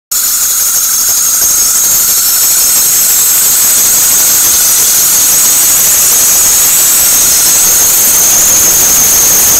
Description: I'm trying to get this squealing sound fixed. It only happens when the weather is cold and especially when it is moist outside. The squealing sound gets higher in pitch when I speed up.